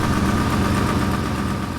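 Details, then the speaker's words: 2002 Ford F-250 5.4L V8 at idle after exhaust manifold repair: light quick tick over the rumble, owner suspects lifter tick, maybe a faint remaining exhaust tick, much quieter than the old manifold tick. "sound may be maybe a lifter tick or something. I don't think it sounds like the exhaust tick. There may be a bit of an exhaust tick there, but it's way quieter than it was before."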